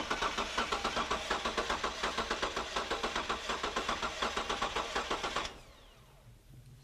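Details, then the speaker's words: Mechanical compression test while cranking with fuel and ignition disabled: fast, steady cranking beat with an uneven lope each cycle. One gauge reads about 215 psi; the bad cylinder builds no pressure at all. "as you can see, our gauge here on the left has built pressure probably up until 215 psi, but our gauge on the right, our bad cylinder, has not built any pressure at all."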